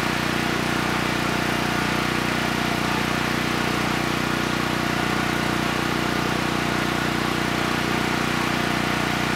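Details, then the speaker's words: Honeywell 7500E generator bought as parts-only, after carburetor work and fitting the air filter, started on the first pull: steady, even drone with no misses or surging, so the carburetor is judged good. "okay good it started right up first pull and the carburetor is running the engine well so I think we can cross carburation off the list"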